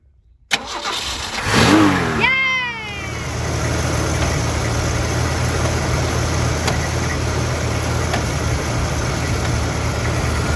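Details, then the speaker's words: Project T-Code after radiator replacement, cooling system burped of air, fan belt tightened: cranks, catches, flares, then drops to a steady even idle, no knocking or squealing; normal start and idle. "So now we got the engine running. Notice it doesn't hop around as much anymore."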